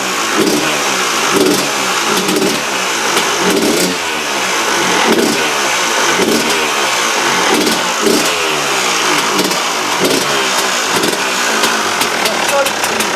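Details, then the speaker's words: KTM two-stroke after replacing the damaged reed valve: revs up and drops back cleanly, quick throttle response, no misfire or rattle; much better than before the repair, sounds healthy. "So yeah, we'll have a little listen now, guys, and you can see the vast difference that the engine sounded like to what it is now."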